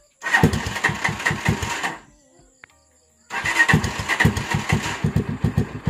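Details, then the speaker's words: Motorcycle remote start after Z200 alarm installation: two short bursts of uneven firing, each stumbling and dying within seconds; owner deliberately set the idle low, causing hard starting; with a proper idle or warm engine it starts on one press. "So, ayan. Naka-start na. So, kung okay ang minor ng inyong motor, one-click lang siya dapat. Isang pindot lang. Mag-start na siya."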